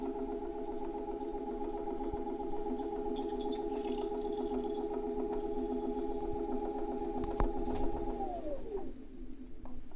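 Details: Tacx Alpine trainer: steady whining hum with high ringing overtone sliding down in pitch; unit knocks when changing direction and sometimes gives high-pitched resonance in Zwift; source undetermined.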